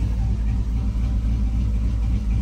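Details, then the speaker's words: Cammed 4.8 Silverado V8 with Summit Racing cam and higher-stall torque converter, after tuning, idling: deep heavy rumble with slightly lumpy loping beat, no misses or stumbles, no start hiccup or flashing check engine light; healthy cammed idle. "fires up good doesn't have that hiccup where it goes up and drops a little no check engine light flashing"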